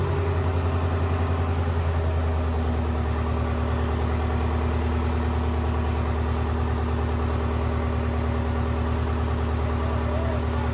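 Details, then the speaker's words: Detroit 8V71 two-stroke diesel from a bus swapped into a John Deere 5020 tractor, first run about 11 below outside, hand throttle, shut off with kill cable: deep steady drone, even firing, no knocks or misses; normal running. "the throttle's going up and down with the hand throttle and for the very first time when we pulled the kill cable out we had it actually shut off with the kill cable okay that sounded like a victory"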